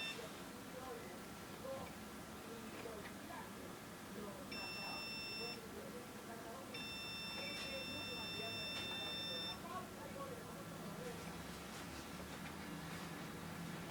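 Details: Frozen PC running Windows Vista: two bursts of steady high-pitched beeping over a room hum; cause of the beeping unknown.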